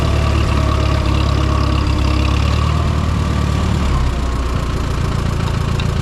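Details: Minneapolis-Moline M5 tractor idling cold on a 25-degree morning, hydraulic oil thick; low steady idle, even beat, no knocks or rattles, healthy as it warms; oil pressure good, charging.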